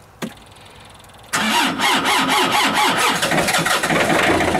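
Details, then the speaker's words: Diesel cold start on a frosty morning colder than minus 9; a click, a pause, then it barely catches with a smoke cloud and settles into a slow, uneven chug of about two beats a second; hard cold start. "oh just barely just barely poor Feller look at the cloud the blage the bloomage he went though surprise"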